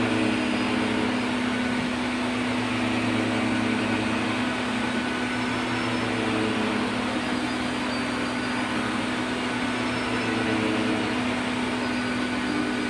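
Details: 1990s Health Mor Elektrapure canister vacuum with a fitted HEPA bag, set to high: steady, even motor hum and rushing airflow that never climbs higher, because a circuit board fault keeps it below top speed with middling suction.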